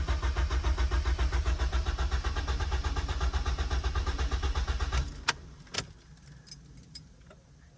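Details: Honda Accord with a K-series swap, in neutral and fuel pump primed after a fuel pump issue was diagnosed, at its first startup. Even starter chugging at about four beats a second for five seconds, never catching; cranks but won't start.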